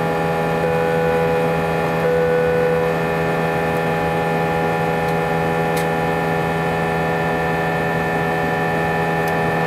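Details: A320 cabin during takeoff: a steady loud drone with several fixed whining tones over the roar, and vibration felt through the seats for the whole 5-hour flight. Intercom announcements were drowned out and passengers felt something was wrong. The unusually loud engine noise has no known cause.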